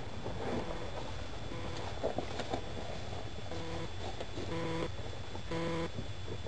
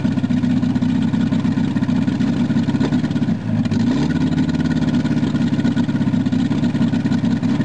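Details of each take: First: VW Rabbit first start after sitting a long time, new battery fitted: engine catches and holds a loud, fast roar instead of settling to idle, racing near wide open; cause not found. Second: VW Rabbit after sitting a long time, started with cold start control pushed in and out again after it ran wide open: settles from high flare into a steady even idle with constant low drone; running normally.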